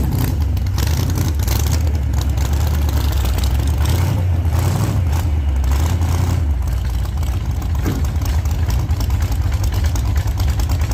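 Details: 1948 Chevy Fleetline small-block Chevy V8, 4-speed, after a fix for push rods breaking on the first burnouts: loud, deep V8 roar holding high revs steadily through a test burnout, no knocking or clatter, running healthy.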